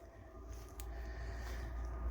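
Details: Truma Combi D6E Gen2 diesel heater in a camper: only a soft, low steady hum and faint whoosh, very quiet and even; heater running smoothly with a well-muffled exhaust, normal running.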